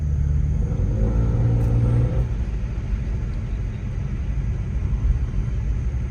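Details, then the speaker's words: Car after hitting a deer, now needing exhaust work: a deep, throaty rumble, louder than stock, swells as the car pulls away and then settles. The owner suspects the muffler or an exhaust leak, possibly a bone piercing the pipe. "sometimes it sounds like a cow but that's probably the muffler"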